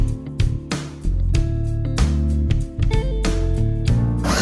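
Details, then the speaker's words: Clark COEBS1 oscillating belt and spindle sander after the electrical motor fault was repaired and new motor brushes were fitted, running with no load: even hum with a steady tone and no rattle or grinding; sounds much better, normal. "Perfect and it sounds much better."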